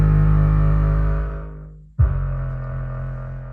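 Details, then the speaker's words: Pyle PLQB10 10-inch 4-ohm subwoofer (measured 3.6 ohms) after two or three minutes of use: heavy bass music with a buzzy, rough edge on the lows, rattling like something loose inside; likely already blown, with a burning smell. "it's still going it's just rattling like crazy it sounds like something's loose inside the speaker"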